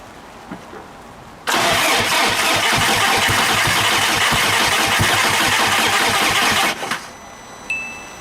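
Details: Big-turbo VW GTI first start attempt after rebuild, on jack stands, after swapping in a reflashed spare ECU since the original was fried: starter churns about five seconds with uneven compression pulses, never catches; cranks but won't start.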